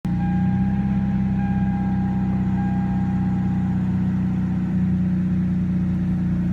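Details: 1995 Toyota Supra, first start after 7 years sitting, after oil change and new battery: smooth, even low hum with steady beat, no misses or knocks; healthy idle.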